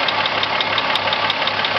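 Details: Volkswagen Corrado VR6 at steady idle with a sharp, fast tapping that keeps even time with engine speed, a clear knock from inside the engine.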